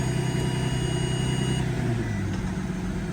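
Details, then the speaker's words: Mercedes-Benz S600 W221 facelift, during transmission service, engine started at about 22°C to warm up: smooth even idle, note dips slightly as drive engages, no clunk, flare or slip; normal healthy transmission engagement. "Beauty, she engaged, that's good."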